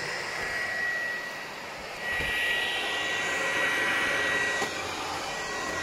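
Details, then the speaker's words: PlayStation 4 running before cleaning and processor thermal paste replacement: a loud, steady, vacuum-cleaner-like roar of rushing air with a thin high whine on top. Cooling fan overworking from overheating. "duyabiliyorsunuz Tanrım aynı elektrik süpürgesi gibi çalışıyor"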